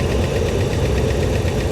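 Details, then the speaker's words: Steady 5.7 HEMI V8 idle on a 2009 Dodge Ram 1500 Laramie 4x4 with 325,000 miles; a light, quick, even tick rides over the rumble, heard from both sides of the engine, not very loud. Owner suspects HEMI tick, cause unconfirmed. "have direct injection? You can certainly hear that tick. No, it's fine. Right? I don't know. Somebody's gonna have to drop a comment below. I mean, I'm hearing the noise out of both sides of the engine."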